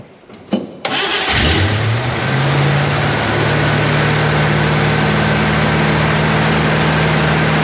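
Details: Chevy Nova Super Sport after smacking the starter, with a replacement distributor. It cranks briefly, fires, and settles into a steady, even low idle with perfectly good vacuum; the choke still needs adjusting. Smooth, healthy running.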